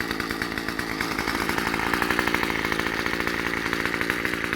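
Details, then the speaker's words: Murray M2500 bent-shaft two-stroke weed trimmer, curbside find, warming up after first start: a fast, even idle with a steady, unbroken crackle and no stumbling; it is warming up normally. "definitely don't need to hold the [Applause] throttle just going to let it warm up a bit and uh we'll try"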